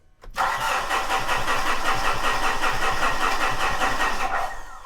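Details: 2013 Mitsubishi Fuso overland truck, no-start: fuel pump running, fuel heard, starter spins the engine at a steady two to three compressions a second but it never catches or fires; air intake being checked, timing and cranking speed still to check.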